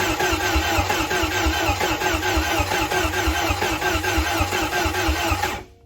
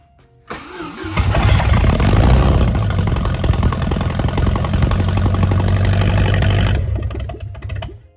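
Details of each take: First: Bayliner boat's Mercruiser engine, first start after a head gasket job: steady rhythmic cranking at about one beat per second, never catching, then stopping; it cranks but will not fire because the spark plug leads were on backwards. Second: Bayliner boat's Mercruiser engine, first start after a head gasket job, with the spark plug leads corrected: it cranks briefly, catches right away and settles into an even, steady beat of about four per second before shutting off; normal start and run.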